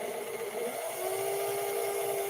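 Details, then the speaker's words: Vintage sewing machine motor under full throttle: high steady whir without loading down, material not moving; drive belt slipping badly, belt maladjusted or possibly damaged. "Hear that slipping? It's slipping right now. It's slipping."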